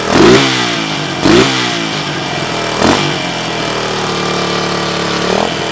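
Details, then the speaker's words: Suzuki DR200ES with Honda 250 clone carb, oversized for the 200cc engine, no air filter: single-cylinder catches, quick revs, then settles to steady even idle; carb fuelling properly, normal running and revving. "foreign so there she is she obviously runs that is a Honda clone carb it's off of a 250 SX"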